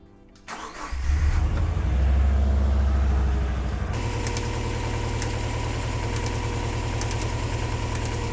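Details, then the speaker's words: 2000 Subaru Legacy wagon EJ206, just after alternator and belt replacement: engine fires and idles with a steady rapid flapping "whacka" slap about four times a second because the belt is too loose. "Now, did you hear that whacka whacka whacka whacka whacka whacka? That was coming from uh our belt here, which is a little bit too loose."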